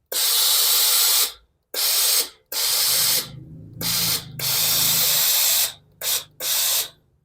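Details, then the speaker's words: Philips steam iron that had weak steam and a groaning noise at the front, repaired by stretching a spring; after reassembly, strong, clean, evenly hissing steam bursts with no groan. Normal steam output. "นะครับผมไม่ออกไม่มีเสียงอืดๆแล้วนะครับเราจะมาลองรีดดูนะครับครับไอน้ำก็ออกปกติแล้วนะครับ"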